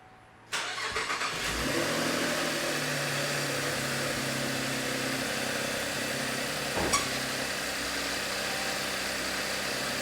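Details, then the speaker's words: 2012 Camaro V6 on first start after water pump replacement, cold with the thermostat closed: engine catches and settles to a steady idle with one brief sharp squeak at startup. Belt squeak on cold start. "I heard the belt squeak once. Yeah."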